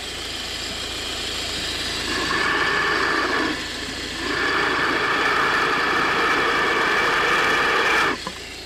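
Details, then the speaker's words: Volvo V50 1.6 diesel at idle, mic at the belt drive: steady high whine at constant pitch over a smooth idle, appearing over the last few thousand kilometres; worn belt tensioner bearing, replaced along with alternator and belt. "definitely some kind of bearing noise there."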